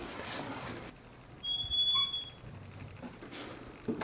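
A single high, thin squeal as the door swings, from a dry hinge that needs lubrication.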